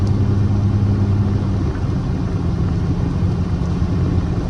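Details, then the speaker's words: 28-year-old Lexus GS300 driving after misfire repair, codes cleared, isopropyl alcohol in fuel, light throttle; steady low engine rumble with even road noise and no stumble or surge, engine running normally. "everything seems to be going good so far."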